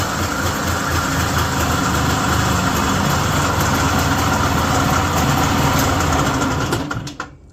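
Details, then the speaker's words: Yamaha G1 golf cart (circa 1979–81) small two-stroke, key-started without pedal switch: buzzes at fast, even idle for several seconds then cuts off cleanly, no rattles or misfires; normal running. "don't know if you can tell, but that was running the opposite direction, like I said, counterclockwise or clockwise."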